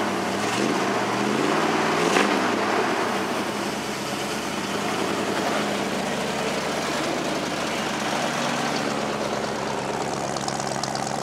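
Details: Ford F-150 holding a smooth, settled idle with no hiss or stumble after replacing the brake booster check valve, curing the vacuum leak; much better.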